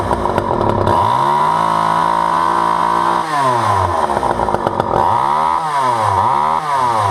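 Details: Vintage all-metal Poulan 2000 chainsaw that sat for years and had its case filled with water for weeks: high, buzzing two-stroke note held steady at high revs, dropping and picking up several times; runs and revs normally.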